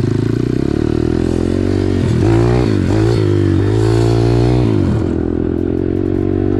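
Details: Home-tuned YX 140 pit bike engine with rebuilt cylinder head and long gearing, test ride: strong, even note rising through revs under load, no knocks or misfires; healthy, lots of power.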